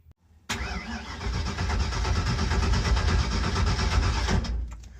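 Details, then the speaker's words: Carbureted car cranked on a weak jump pack: starter drags it slowly, about four beats a second for four seconds, never fires; carburetor completely dry, zero fuel pressure. "Now, the jump pack can't turn it over fast enough to draw any fuel. The carburetor is completely dry."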